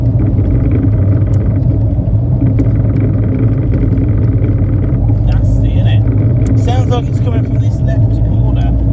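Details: Triumph Spitfire 1500 engine running: low, busy rumble with a knock buried in it; engine knocking, owner asking for help, source not yet pinned down.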